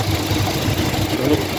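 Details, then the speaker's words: Toyota Hilux with 2.7 2R engine at idle: uneven idle with a rough scratchy rumble from the front of the engine; the A/C compressor is seized and its pulley wobbles; the fix is a new compressor and condenser plus a system flush. "aquí tenemos una Hilux motor 2r 2.7 de un ruido en la parte delantera del motor el aire el compresor del aire acondicionado está trancado y la polea del compresor no sirve"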